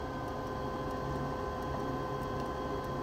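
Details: 90% Carrier furnace in crawlspace, no-heat call; light irregular ticking over steady furnace hum from condensate pressure switch making intermittent contact, not enough to set a board fault, caused by clogged condensate trap; cleared and furnace checked good.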